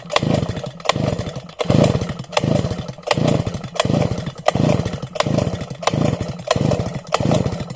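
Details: Sviatiaz BT-430 petrol brush cutter that won't start after a refuel. Rhythmic pull-cord bursts under a second apart; the engine coughs briefly but never runs. Wet plug. Fouled spark plug; a new plug started it first pull.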